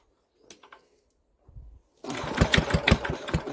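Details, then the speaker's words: Old diesel compressor engine, unstarted for about a month, not primed with the oil can, on a very cold day: slow cranking with uneven puffs that almost catch, then it fails to start; owner thinks priming would have started it. "oh that was very close weren't it i said i think if she'd have had a prime there she would have definitely started"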